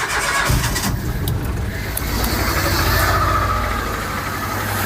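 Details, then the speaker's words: Cold Peugeot 107 three-cylinder engine (Toyota Aygo/Citroen C1 type), diagnostic tool would not connect: catches and runs rough with uneven, lumpy stumbling idle, one cylinder dead; misfire from failed ignition coil pack, found by pulling coils one at a time. "Yeah, running rough as hell. If we disconnect another one, it can't run on one cylinder."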